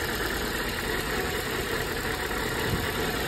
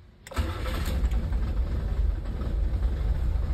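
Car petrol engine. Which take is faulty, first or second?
first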